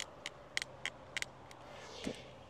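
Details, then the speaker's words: Camping chair: sharp dry clicks and creaks as the short frame tubes move, though assembled correctly; frame creaking. "I don't know if you can hear, but that chair, damn it, it creaks, it creaks, okay, wait, it's not making any sounds for now"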